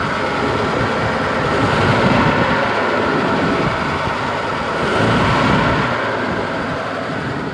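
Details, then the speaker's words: 1949 Pontiac Silver Streak straight-eight idling after an oil and coolant change (fresh oil, about 4 quarts); steady, even rumble with no knocks or misses, running like a sewing machine. Normal idle. "Like a sewing machine."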